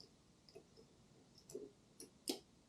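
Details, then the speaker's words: Automotive relay coil (terminals 85/86) powered with 12V DC on the bench for e-bike accessory wiring: one sharp, short click as the relay pulls in and switches from 87a to 87, working normally. "you heard that click let me go ahead and remove this so that's the relay physically closing"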